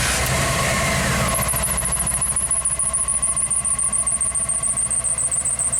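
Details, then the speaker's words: 1995 Pace Arrow Coronado motorhome, Chevy chassis, after electrical repairs from rodent damage: engine catches and settles into steady idle with a thin high chirp on top, charging at 75 amps; running fine. "So now I bet it should run. It should run fine. We're charging at 75 amps, that's good."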